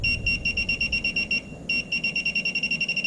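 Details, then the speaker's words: Minelab Pro-Find 35 pinpointer at sensitivity 3: rapid high-pitched beeps, about six a second, a short break, then the same steady pulsing; normal non-ferrous target tone. "Let's put it on sensitivity of 3. Now here's the normal non-ferrous tone."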